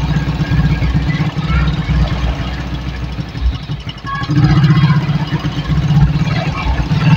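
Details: Suzuki Shogun 110 motorcycle just restarted after repair for lost ignition and charging (stator rewound); idle rpm a bit low so it tends to stall on first run: low, uneven single-cylinder putter sagging briefly mid-clip then recovering; running normally.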